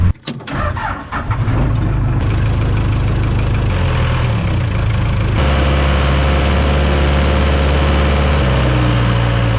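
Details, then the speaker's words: 1974 Ford F-750 dump truck, sat 4-5 years, rebuilt carburetor, engine freed by pulling with a backhoe: slow, labouring cranking for about a second, then catches and settles into a rough idle; engine still partly seized. "Man, she's really stuck in there, but I think I did the trick. Motor is just a little seized up a little bit."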